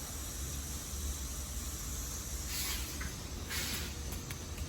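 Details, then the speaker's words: About 100-year-old mansion steam heating boiler, restarted after long shutdown while the suspected mud-clogged 47-2 is tested: steady low rumble with two short airy hiss bursts; normal sound of starting to make steam. "starting to make steam."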